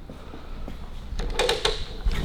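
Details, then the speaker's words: Harley WLC/WLA clutch after plate assembly and adjustment, kickstart turned with clutch disengaged (heel down): a few sharp metallic clacks as only the clutch basket spins; the back plate touching, normal. "that won't turn the engine, all it's turning is the clutch basket, yeah? That noise is just where the back plate's hitting at the moment."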